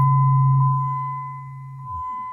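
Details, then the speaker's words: Jeep Liberty crank-no-start, microphone at rear by the trunk: steady low hum about two seconds at key-on, then drops away; newly installed pump primes but delivers no fuel pressure to the front. "let's see if you can guys can hear the hum of the noise I'm trying to get feel pressure to the front"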